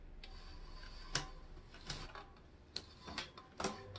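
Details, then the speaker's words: Bicycle climbing a hill, shifting gears with chain under tension from rider's full weight on pedals: irregular sharp clicks and crunches as chain is forced over cogs; not a derailleur fault, shift with momentum to shift smoothly. "가기는 가지만 뜯기는 소리가 나죠. 이게 체중이 다 실려 있는 상태에서 변속을 한다 그러면은 더 뜯기는 소리가 나요. 뜩뜩뜩뜩 하면서 체인이 넘어가요."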